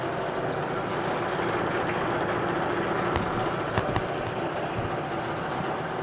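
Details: 1988 Mercury 25hp two-stroke tiller outboard, 20in shaft, electric start, freshwater, new lower unit lube, pumping water: steady even idle with no knocks, misses or surging; good-running, normal idle.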